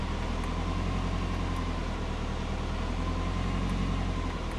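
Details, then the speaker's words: Subaru Forester, engine warm, idle after startup with transient throttle and O2 closed-loop control switched back on: steady low drone whose rpm swells and sags slowly, idle hunting as fuel control over-corrects; O2 control PID settings being tuned. "you can tell it's not as stable as me doing it by myself. You can hear the RPMs going up and down."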